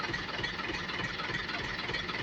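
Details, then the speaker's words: Six-speed diesel truck idling: rough gravelly growl under engine note; suspected from earlier aftermarket KW clutch; clutch growl at idle. "ini kendalanya sama di kopling tadinya kan kita ganti dengan kopling HW namun malah ngorok suaranya jadi terpaksa kita ganti lagi koplingnya dengan kopling ori"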